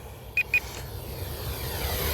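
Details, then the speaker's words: HobbyZone T-28 Trojan 450mm micro RC plane in flight at about 70% throttle: two quick, high-pitched low-battery warning beeps over wind and motor whine, shortly before the battery died. "Oh, we have a low voltage warning. I wanted to show you that. You guys hear it? It's beeping at me."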